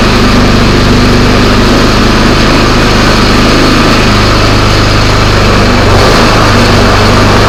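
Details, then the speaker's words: Craftsman snowblower after repair of a noise heard when the augers were engaged: small engine runs at a steady even speed, constant drone, no rattles or grinding; noise expected gone, normal running. "I think we're going to find the noise is gone."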